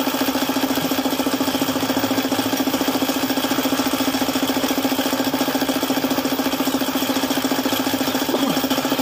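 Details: Suzuki F6A engine at idle: fast, even metallic knocking about three per second, bottom-end knock from lost oil pressure after the oil pump failed.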